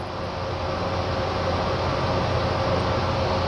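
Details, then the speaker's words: Lathe at about 600 RPM feeding a six-flute reamer through soft wheel hub stock, no pecking; steady, even rushing hum with faint constant tone, no chatter or squeal; cutting sound ends as the reamer exits the back of the part. "I can hear the cutting sound has ended. I can see the reamer extending through the back side of the part."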